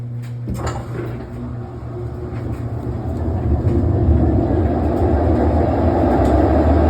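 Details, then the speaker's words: GE washer on final spin: a low rumble swells into a loud, steady jet-turbine-like roar as the tub spins up; owner believes the tub bearings are going out, agitator dogs seem okay; earlier it was screeching; unconfirmed. "holy moly that is loud it sounds like a jet turbine it's on his final spin by the way I believe the tub bearings are going out"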